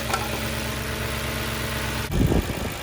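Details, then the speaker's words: Audi S4 idling completely cold after the low-oil-pressure warning repair: smooth, even low idle, steady hum, no knocks or ticks. No oil warning shows; there is slight coolant burn-off. "all right guys so the engine sounds good uh it's completely cold so i want you to know that um let me show you so you can see it's completely cold"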